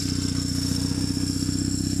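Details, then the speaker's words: Cold BMW R 1150 GS boxer just started with choke raising revs; quick, even pulsing at a raised fast idle with a light mechanical clatter, as expected when cold. Normal cold fast idle. "nazywamy to potoczne ssaniem jak jest zimny wiadomo tak jak zwykłe ssaniem podnosimy mu obroty"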